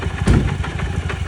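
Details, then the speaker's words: Suzuki Burgman 650 (Skywave) maxi-scooter, old cheap example, idling: hard rapid clatter on each firing pulse, diesel-like knock; seller claimed a shaft adapter would fix it, mechanic doubts that; cause not confirmed. "вот говорит дизелит немного вот те у кого свежие тки послушайте как должен настоящий хороший такой дизельный звук звучать"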